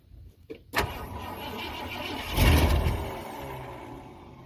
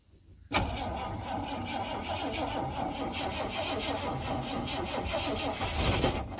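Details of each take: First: 1971 Ford F100 V8 right after a new starter solenoid was fitted. Brief crank, then it catches and swells into a quiet, even idle; the exhaust smells like it has been plugged up. Normal start and idle. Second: 1971 Ford F100 V8 on a small battery. Sluggish, dragging cranking for about six seconds with no catch. Slow cranking; owner suspects the tiny battery, which got hot, can't handle it.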